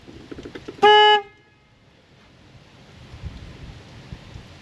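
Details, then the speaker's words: 2002 Nissan Xterra with blown head gasket, battery just reconnected: one sharp, steady horn blast about a third of a second outdoors; horn going off by itself, owner suspects the anti-theft system. "Why is my horn Oh no. Why is my horn going off? I think the 2002 anti- theft is having problems."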